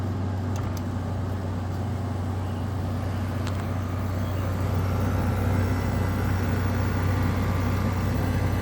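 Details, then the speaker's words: Frigidaire FFRA0511R1 5,000 BTU window air conditioner (2014/2017), bought used, suspected to have been dropped, compressor just kicked on: steady even low hum, no rattle or pitch change; very quiet, takes a minute to get cold; normal compressor running. "as you can hear very quiet and it does take it does take a minute to get cold"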